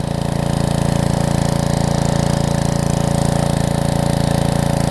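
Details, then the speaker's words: Karcher pressure washer with 6.5hp Briggs engine and new carburetor, after long disuse, idle bounced earlier but under trigger load holds steady even note with no surging; normal running under load. "Under load, no surging, no nothing. So again, it was just being a little stubborn, which is awesome."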